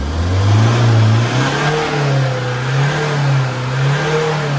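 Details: Tata 140 diesel after an engine rebuild: mismatched 150 head swapped for the correct one, two bad injectors replaced, melted piston fixed, cylinders resleeved. It revs up cleanly and holds an even drone without knocks; it runs healthy.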